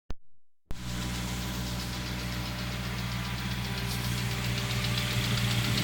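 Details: Honda S2000 idle after starting with light, fairly quick random ticking, heard near the intake manifold area; source unclear.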